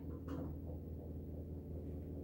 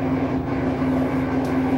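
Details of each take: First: LG washer in diagnosis mode after replacing the failed drain pump motor (4681EA2001T): low, even hum with a steady drum turn, then fast spin, and no more grinding. Normal pump and spin operation. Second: LG washer in diagnostic spin mode at slow speed, about 45 rpm: drum turns with steady low drone under a rough gritty grinding not from the drum; failed drain water pump motor, replaced with pump 4681EA2001T.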